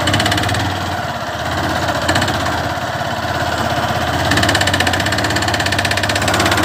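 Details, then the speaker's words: Honda Fan 150 motorcycle, noise heard mainly when changing gear and accelerating uphill: a rattly, uneven knock under load that resembles rod or piston knock, traced to a worn balancer gear spring behind the clutch cover. "O barulho desse motor, galera, está localizado aqui na parte da embreagem. Vou estar desmontando aqui, mostrando para vocês. Esse barulho é muito parecido, né, com o barulho de biela ou de pistão batendo, né, batendo aqui no cilindro."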